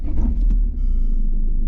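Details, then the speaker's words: Citroën C3 driven over 30,000 miles in the current ownership and being scrapped, on its final start: a rough low rumble with a brief thin high whine over it. A new, unidentified noise at startup, cause unclear. "That's a new noise, too. And that's the one we're looking for."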